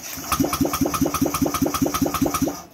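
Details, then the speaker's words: Honda Vario 125 fuel-injected scooter, revived after years dead and fully rebuilt; the fuse now holds and the fuel pump runs. Steady starter cranking with no firing at all. The plug cap connection is suspected loose or corroded. "Kayaknya sudah aman untuk sikringnya, tidak putus. Tapi masalah berikutnya adalah ini tidak mau hidup mesinnya."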